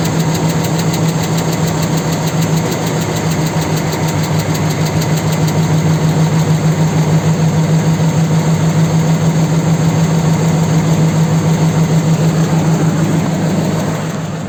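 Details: 4.7 engine knocking at idle: steady idle with a regular knock about three per second over a low hum; source unclear.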